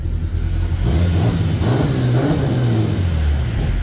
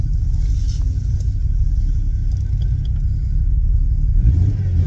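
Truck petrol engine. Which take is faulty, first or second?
second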